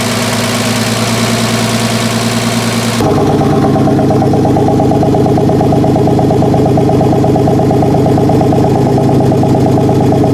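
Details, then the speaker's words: 1996 Ford F150 4.9L straight-six, first start after rebuild and reassembly (new lower intake, valve train refitted): fast, even loud ticking over the fresh idle from collapsed hydraulic lifters, ticking until oil pressure pumps them up. "uh you did hear a loud ticking that was from the lifter being collapsed the lifters got collapsed"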